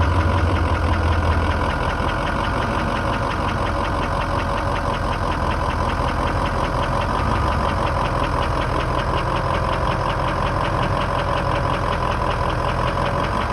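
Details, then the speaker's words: 2003 Ford F-250 6.0 diesel idling with faint loosely regular tapping two to three per second, soft knock near alternator on right side, mechanic placed it near injectors above pistons; cause not yet found. "I'm getting a soft air knock like from where the alternator is. Basically, I'm hearing a soft knock coming around where the alternator is."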